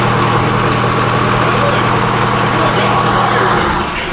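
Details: Electronic Detroit Diesel 453 two-stroke, cold start after dyno runs to 3400 rpm: even, steady drone with a firm low hum, no misses or knocks, fading at the end; healthy cold-start running.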